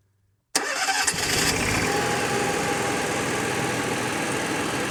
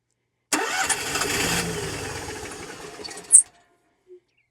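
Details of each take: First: Onan QG 5500 EVAP generator in a 2019 Dutchman Voltage 4205 toy hauler, altitude knob reset, air filter back on: cranks, catches within a second, fuel heard entering carburetor, steady even hum; normal start and run. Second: Onan QG 5500 EVAP generator in a 2019 Dutchman Voltage toy hauler, after long priming: catches and runs rough about three seconds then dies, as if running out of fuel; ignition good, owner suspects fuel problem.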